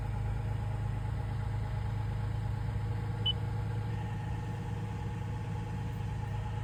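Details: 3rd-gen Toyota Tacoma after fixing a no-start with a Brake Override Malfunction message caused by a shorted frayed canopy wire blowing the 10 A "stop" fuse; wire taped, fuse replaced. Steady low hum with a faint even pulse, no knocks or misses: normal idle.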